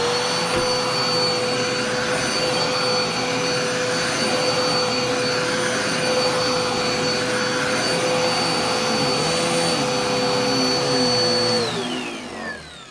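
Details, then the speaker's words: Dusty-filtered vacuum: steady high-pitched, thin, strained whine like choked airflow, winding down at shutoff; sounds clogged with weak suction, but found not clogged; likely needs filter cleaning, general cleaning and probably a belt. "it sounds clogged and it doesn't seem like it's doing anything"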